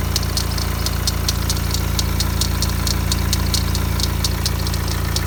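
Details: BMW 116d diesel idling with a fast, light metallic rattle about twice a second, first thought to be the timing chain but actually the idler pulley near the alternator; the noise stopped instantly when sprayed with WD40.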